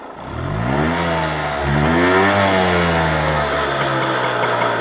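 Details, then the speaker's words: Suzuki TF185 two-stroke with the muffler removed, carb cleaned, fuel flow and air filter OK: revs up slowly and falls back without crispness, lethargic and down on power; owner suspects low compression, with timing, plug and ignition still to check. "I have removed the muffler just to see if that was blocked. That didn't make a difference. But it's very lethargic."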